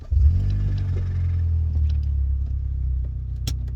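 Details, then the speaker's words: 2016 Hyundai Elantra GT, 6-speed manual, at idle before pulling oil pan: deep rumble with faint light clacking knock, not too bad at idle; rod knock suspected, owner notes darker cylinder plugs, not confirmed. "oh go ahead and pull this pan on my car one with the rod knock and we're going to inspect the bottom end of this engine"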